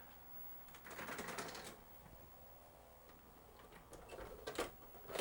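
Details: Toshiba MV13J3 13-inch TV/VCR combo from 1999, after no-power repair, mechanical switches still sticky: short bursts of light, quick clicking and whirring as the mechanism cycles and returns the tape, without straining or grinding.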